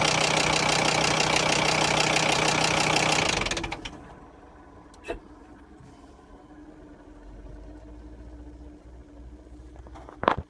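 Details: Volkswagen Crafter engine: loud, hard clattering knock at a steady beat for about three seconds before cutting off; heavy internal knock, cause unknown.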